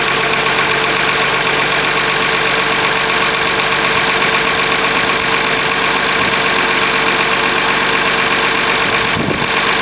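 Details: Oliver 1850 diesel tractor, cold, after a genuine cold start at about 45 degrees: steady, even clatter holding one idle speed for ten seconds, no misses or knocks. Normal idle.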